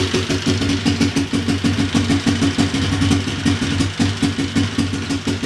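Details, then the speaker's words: Big Bear ATV single-cylinder after top-end rebuild, timing chain refit and valve adjustment, fuel poured into carburetor: steady idle pulsing evenly about three times a second, no knocks or rattles, no smoke; healthy. "no smoke so that's a good sign no smoke"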